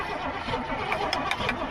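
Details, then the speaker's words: Old gasoline GMC bucket truck carburetor: starter turns the engine over with a steady churn but it never fires; no fuel seen coming down into the carb, float suspected stuck. "I want to show y'all the inside of the carb when he actually turns it over and you don't see any fuel coming down into that"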